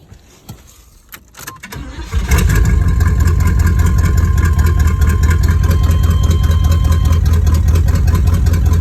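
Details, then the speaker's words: 1986 Cutlass V8 with a rebuilt 4-barrel Rochester Quadrajet carburetor, cold start: brief crank, catches at once, settles into a strong even idle on choke; choke working, not yet warmed up. "yeah that choke looked like it's working it open it on up but it ain't quite warmed up yet"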